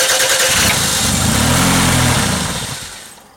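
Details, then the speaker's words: 1991 Toyota Camry 2.0 3S-FE after a timing belt replacement, brief test start without the crankshaft pulley fitted: fires straight away, holds a steady even note about two seconds, then winds down cleanly when shut off; healthy start. "yeah all right so the car started up uh sounds good"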